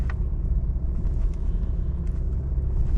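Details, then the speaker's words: 2013 BMW 320d after steering rack repair, driven over rough ground. It previously knocked badly from the driver's side front. Now there is only a low steady road rumble with no clunks or knocks, and the rack sounds tight. "go over a little bit of a rough ground and make sure that it's not knocking because this vehicle was knocking quite B from the driver's side"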